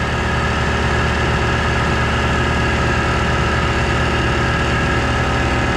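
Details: Air compressor on a newly wired shop circuit refilling tank from about 100 psi toward a 140 cutoff, gauge possibly misreading: steady, even hum with constant pump beat, no knocks or rattles; running normally.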